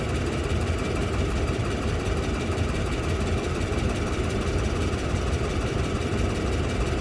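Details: Toyota Land Cruiser 200, 2UZ-FE V8: dull knock on the left side of the engine through a steady idle. Valves and coupling checked, exhaust manifold welded and gasket replaced, cause still not found.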